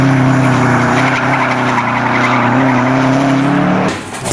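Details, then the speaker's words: Stock Subaru R160 rear differential after drifting on track: loud whine rising and falling with speed over tyre scrub; bearings found dead, the oil having run far too hot. "the under differential is trash uh we could hear it screaming as we went around the track"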